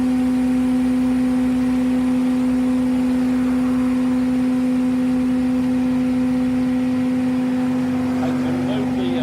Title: Chevy van with bad wheel bearings